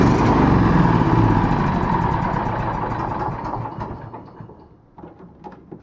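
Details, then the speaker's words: Old riding lawnmower after fuel line repair, plenty of fuel in tank: engine runs, then slows and fades with uneven stumbles before quitting, like fuel starvation; cause suspected, not confirmed. "so we're getting fuel flow i assume hopefully because it sounds like it's running out of fuel unless we there's plenty of fuel in the fuel tank"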